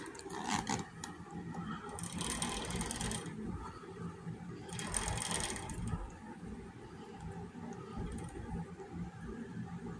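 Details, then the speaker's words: Axis 200m mini bike drivetrain after the bike fell on something, turned by hand with a flat tire: two rough gritty grinding bursts, binding until it can't be moved. "It gets to a point, and it gets to a point you can't move it."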